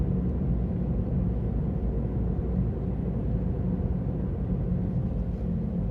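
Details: Ravon R4 (Chevrolet Cobalt) driving: steady low drone over road rumble from a worn wheel hub bearing, problem returned a year after first occurring.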